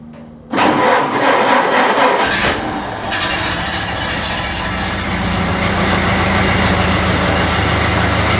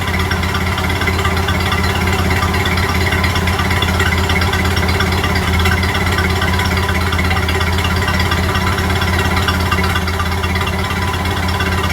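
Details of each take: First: Model A Ford started cold after sitting overnight, following manifold gasket replacement: cranks, catches and settles into a busy uneven idle with a ticking puff; owner still suspects a warped exhaust manifold gasket at number 4, an exhaust leak. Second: Model A Ford heard from the back at the tailpipe after exhaust manifold gasket replacement: steady, even low putter at idle with no ticking or leak puffing; exhaust sounds healthy.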